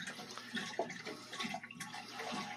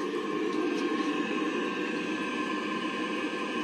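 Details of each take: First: Navien NCB-240E combi boiler after replacing the water pressure sensor for a 352 error: irregular watery gurgling and splashing as it seems to auto-purge and drain water; water gurgling during purge. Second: Navien NCB-240E combi boiler after an E352 water-pressure error, with the hot water side purged of air and the heating system disconnected: steady soft roar of burner and fan with a few constant tones and no banging or whistling; burner firing cleanly.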